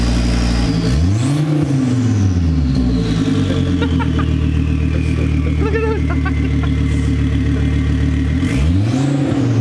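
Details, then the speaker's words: 2004 Volvo V70 R with catless downpipe and no exhaust fitted, heard from the rear: loud raw roar with revs swept up and down twice and a high whistle rising and falling with boost; open downpipe turbo whine. "let me go to the back and let's listen to this bad boy with no exhaust [Music] that turbo's singing"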